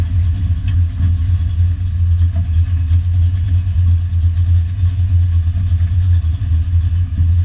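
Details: Foxbody Mustang notchback on Holley Terminator X EFI and custom wiring, after idle screw and fuel table tweaks, warming up: deep steady low rumble with slight lope, no knocks or misses; idles on its own.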